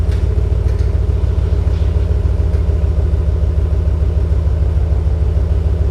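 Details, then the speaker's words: 2019 Ram 1500 Hemi V8 after a Solo Performance muffler delete: deep, steady idle rumble pulsing about three and a half beats a second with a slight rasp; unmuffled straight-pipe exhaust running fine. "there you guys have it it does have a little bit RESP to it but like I said if I don't like the sound I can always go ahead and put a little muffler there and and make it sound very nice"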